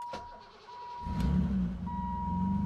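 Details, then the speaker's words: BMW E28 first start after new fuel system installed: brief chime, engine catches and settles into steady, even low hum, no leaks seen initially; starts and idles normally. "Not seeing any leaks. And I hear it humming. That's a win. So, I've had it here running for a bit and everything looks good. It's running pretty good."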